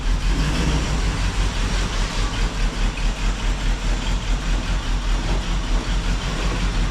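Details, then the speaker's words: 1976 Pontiac Firebird Esprit 350 V8 idling after reseal, warming up: lumpy idle with rhythmic puffing tick about twice a second; exhaust leak, owner suspects the diaphragm, pulloff valve or EGR valve is bad; not yet investigated. "and it's got some kind of an exhaust leak coming out of that. So, either the diaphragm or the pulloff valve or the EGR valve itself is bad as it's leaking. So, it's got kind of a diesel right around this area and you can kind of hear it."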